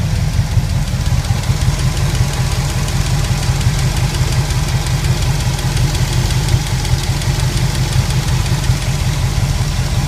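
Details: Pontiac 400 V8 at idle: a heavy rumble with a faint, uneven tapping a few times a second; owner suspects a bad lifter. Ticking noise.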